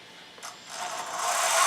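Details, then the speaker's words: IMEX Panzer III metal lower hulls, brass dual-ratio gearboxes first, stock electronics: a light, even whir climbing smoothly in pitch at slow creep with no clicks or grinding. Both brass and lapped steel gearboxes sound quiet, with little difference. "I think both of them are pretty quiet. I don't think there's a whole lot of difference."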